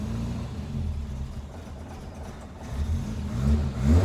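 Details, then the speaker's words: Cold four-cylinder Le Mans green Mk1 Ford Escort blipped a few times after its World Cup competition crossmember was removed. Revs rise and fall cleanly with no clunks or vibration. Before, idle shook the whole body and clock glass. Normal revving. "Well, that is so much better. It was resonating through the full body whenever it was idling. All the glass on the clocks was shaking and everything. It was awful. But no, that's much better."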